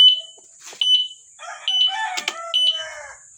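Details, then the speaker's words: E-bike alarm after replacing the rusted horn relay, tested with the bike switched on: loud, piercing high chirps about once a second with warbling sweeps, sounding together with the flashing signal light; normal alarm, previously sounded mixed up. "Dapat ganyan mangyayari. Natunog siya at the same time naandap yung ating signal light."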